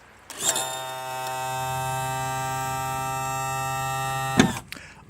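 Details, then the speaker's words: 2000 Johnson 115 outboard trim/tilt motor running normally: a steady, even electric hum for about four seconds that starts and stops cleanly, with no straining or grinding. "So, anyways, this is what the trim tilt motor should sound like."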